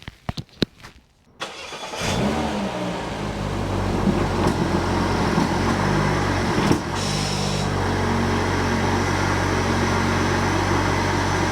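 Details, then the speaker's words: Peugeot 308 GTi (Prince engine) cold start after fitting a new rubberised water pump pulley, meant to cure a fast, jittery noise: a few clicks, then the engine fires into a loud but steady fast idle; water pump is engaged and the front is quiet. "Water pump's engaged and it's very quiet. Obviously we had a cold start there, super loud, but all looks well."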